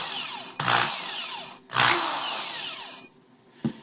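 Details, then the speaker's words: Power drill motor spinning up and coasting down with a thin high-pitched squeal at wind-down; brushes dirty from dust and metal shavings, need cleaning or replacing, later fixed by sanding brushes. "that's uh the brushes in here telling you that it's probably time for a change or a cleaning"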